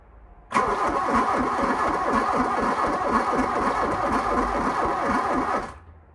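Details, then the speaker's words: 1987 VW Scirocco 16V, sitting over 20 years, with a replacement battery and the fuel pump unplugged: slow uneven cranking for about five seconds without catching while voltage drops to about 10 V; slow cranking, no start. "yeah I mean it goes down to like 10 you can plug the fuel pump back in and see what happens just see if it it starts"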